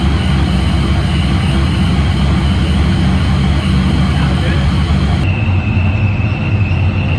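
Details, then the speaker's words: S10 with a boosted small-block Chevy V8 after fixing a misfire/pulsing problem, suspected valve float or spark blowout. It has been running 10–15 minutes in about 98°F heat with a deep, steady idle, no ticking or misses; normal idle. "Alive. Been running for about 10, probably 15 minutes now. Sounds healthy."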